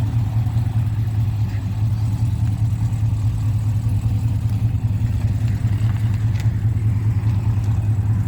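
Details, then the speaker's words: Exhaust of a freshly built car on its first fire-up, run briefly with no coolant in it and trans fluid checked; deep, even rumble with no knocks, rattles or leaks; resonator added because it was too loud without it; normal exhaust note. "Sounds really good. That sounds super good. Heck yeah."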